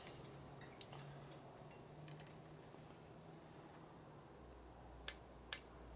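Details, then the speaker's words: 1965 Harley-Davidson Panhead 74ci FLH during a motor rebuild, points ignition just set with a new hot wire: the quiet shop is broken by two sharp snapping spark cracks about half a second apart. Ignition sparks fine, though the test bulb did not light. "Doesn't matter, the spark works, you can hear it."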